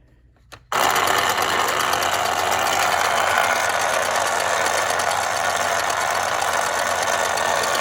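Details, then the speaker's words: 1960s Remco Tiger Cat toy jeep after gear repair, tension on the tire: a steady, even high-pitched whir of a small motor and gears with no skipping, clicking or grinding; the gear drive runs normally. "Nope, doesn't make any weird noises. Fan's still turning. Sounds great."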